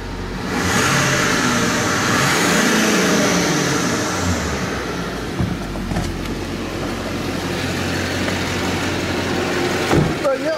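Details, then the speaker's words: LBZ Duramax diesel pickup with 300,000 miles and a quiet stock exhaust: a deep, even rumble climbing smoothly through a rev and settling back, with no knocks or rattles; normal revving. "sounds like a Duramax 300,000 miles hopefully it'll go another 300,000"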